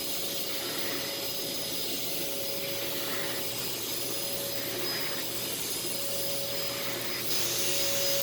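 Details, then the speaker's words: Thrift store vacuum, filters uncleaned: smooth, even high-pitched whir with steady airflow rush, no rattles or grinding; running quietly with very good suction. "so yeah this one i really like it's a lot quieter it does have a bit of a smell to it"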